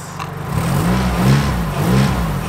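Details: Nissan S13 200SX after the misfire's wiring was soldered and the connector refitted, now firing on all four: the engine climbs and drops cleanly through a couple of blips with no stumble or popping. Normal revving.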